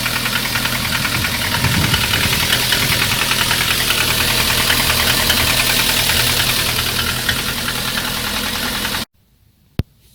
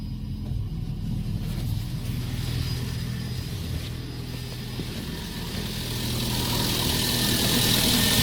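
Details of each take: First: Lada 1.6 8-valve 11183 engine (2114), ~20,000 km; steady fast ticking knock about 200 per minute over idle, loud when hot; valve adjustment didn't help; piston slap from C/D-size pistons, fixed by fitting E-size pistons. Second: VAZ 2114 1.6 8-valve 11183 engine: steady, even idle with a gentle rev rise near the end and no knocking. The engine had knocked when hot by 20,000 km, and the CCCD pistons were replaced with E pistons; it sounds healthy.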